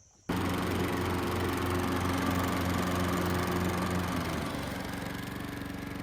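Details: Riding lawn mower test run after a PTO blade-drive belt tension fix: engine catches instantly and holds a steady drone, then the note drops and settles as the blades engage and take load; runs smoothly.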